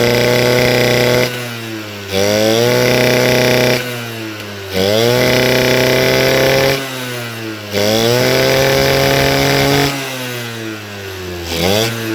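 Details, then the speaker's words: Suzuki RC 100 motorcycle that stutters and won't rev with the air filter box fitted: with filter box removed, repeated sharp blips rising cleanly to high rev and falling back smoothly, indicating carburettor running too rich. "Kalau dilepas, motor bisa meraung, berarti permasalahannya ada pada karbu yang terlalu banyak bensin keluar, atau yang terlalu banyak bensin yang masuk ya, sehingga pembakaran tidak menjadi responsif atau tidak maksimal, sehingga motor jadi berbet."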